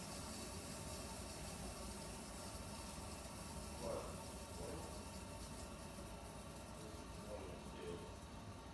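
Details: Toilet after replacing a noisy tank with a new one fitted with a straight supply line: soft, steady water hiss during flush and refill, with no whistle, hammer or bang. The refill now runs quiet and normal.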